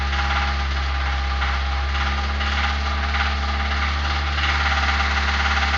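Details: Suzuki Grand Vitara: deep, regular knock about three times a second over the idling engine. Worn engine mounts led to a holed oil pan and oil starvation, and teardown showed spun connecting-rod bearings.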